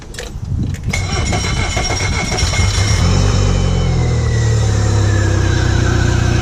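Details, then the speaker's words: 2014 Mercury 115 hp four-stroke outboard after repairing its low-pressure lift fuel pump, which caused a no-start: the starter cranks briefly, then the engine catches and settles into a steady, even low idle that stays smooth. "it should have a little bit of hard start maybe a few try but after the high pressure side pump kicks in it should works perfectly"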